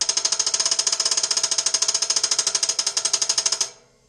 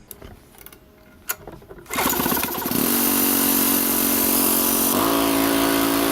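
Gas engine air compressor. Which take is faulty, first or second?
first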